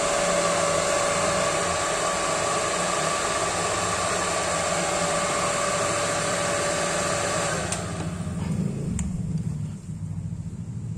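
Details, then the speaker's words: Yamaha Aerox scooter after riding through flood water, extra radiator fan (normally on at 82°C, off at 80°C) forced on: steady, even whir with no rattle or scrape until it spins down; fan works normally. "suaranya pun mesti sama enggak ada suara yang aneh menandakan kalau si extrafan ini punya kerusakan atau sejenisnya"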